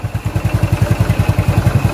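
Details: Yamaha Mio Sporty test start after a top overhaul for hard starting, engine noise and overheating (it had run low on oil; cylinder head parts replaced) and new 6003 swing arm bearings: an even, low single-cylinder putt-putt with no tapping, now quiet, a normal idle.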